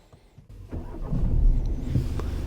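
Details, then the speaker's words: VW Passat start after navigation map update, checking the battery hadn't drained: brief cranking, then the engine catches quickly and settles into a steady, even low rumble; clean, healthy start. "Все. Двигатель завелся."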